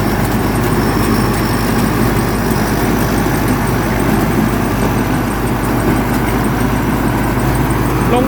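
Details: Diesel rice combine harvester that would not restart after stalling, now running after the pump mechanic works on the injection pump (a stuck pump plunger was suspected): a dense, steady clatter holding an even idle without stumbling or misfire. Runs smoothly.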